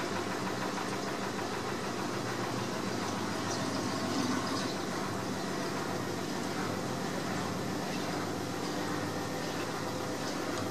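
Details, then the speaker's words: New AEG L7540FL washing machine, advertised as quiet, while pumping: a constant loud rumbling whirr with a steady low drone, heard all over the house and far noisier than expected. "guarantee they advertise this machine as being quiet not so sure we can hear it all over the house when it's pumping so so"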